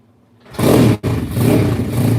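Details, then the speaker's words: 150cc engine-swapped RFZ dirt bike after a tune-up, with the owner unsure whether it was flooded: one kick, a sharp catch and a brief stumble, then a strong steady idle; starts healthy on the first kick. "Or it starts right up first kick. Yeah, it's so hard to do on full start. Yeah, it sounds pretty sick, eh?"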